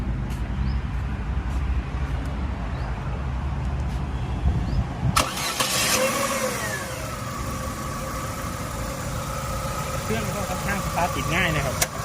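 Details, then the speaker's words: 2012 Chevrolet Aveo 1.6 L (1600 cc): starter turns briefly, engine catches quickly and settles into a steady, even idle with no knocks or stumbles. Revs come up quickly as before; starts and runs normally. "เรื่องดูรอบเครื่องเราเพื่อนสตาร์ทได้งานใช้งานได้ปกติรอบมาเร็วเหมือนเดิมแล้วปกติเลยนะครับ"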